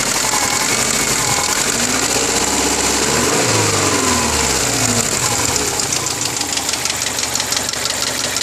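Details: A 2002 Subaru Forester with 333,000 km and meticulous maintenance: a light, fairly quick ticking knock rides over the idle and hiss; the owner suspects piston slap, but the origin is unclear.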